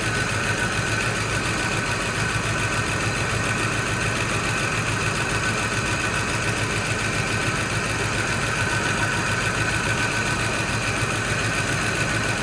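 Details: Fox Body Mustang V8 running on a jump box after long storage: continuous busy idle with a faint uneven pulse, still finding its idle; no smoke, owner says the front sounds off, possibly a dropped felt.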